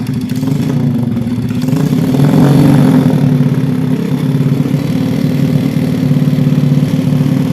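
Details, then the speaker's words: Jupiter Z engine in a Honda 70 frame that had been smoking and whistling before breaking down: rough, uneven revving with a ragged low beat and clattery edge; worn piston and rings found. "The condition was already smoking or whistling and then the sound was also rough."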